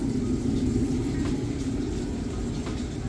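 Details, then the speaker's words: Samsung VRT front-load washer in final spin, five minutes left, spinning super fast for about three minutes; steady low hum, even rumble, no thumping or knocking — normal balanced high-speed spin. "okay we got five minutes left spinning super fast it's been spinning this fast for about three minutes not sure it's gonna go faster than that that's pretty fast"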